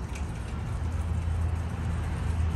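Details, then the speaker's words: Old water fountain pump that had stopped working, heard after rewiring with a temporary electrical-tape repair: kicks on when plugged in and runs with a steady low hum and no knocking or rattle. "okay pump's running all right so let's fix this uh for real not just electrical tape"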